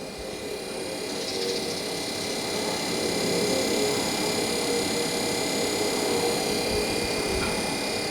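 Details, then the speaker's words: 12 V compressor in a Fisher & Paykel bar fridge converted to 12 V DC, while charging with propane/hydrocarbon refrigerant: steady, even hum with faint high whine under airy rushing, no knocks; working nicely, system getting cold. "Yep, that's working nicely."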